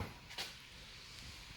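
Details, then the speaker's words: JVC DLA-RS15-U D-ILA projector, previously no light with door clicking stuck; now lamp lights, one sharp click as lens door opens/closes then faint fan hiss; lens door operating normally. "we have the light we didn't have no light before and we have the door open close if you remember"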